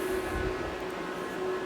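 Low, steady fan hum with a faint even tone and no rattle or scrape; the cooling fans are running normally.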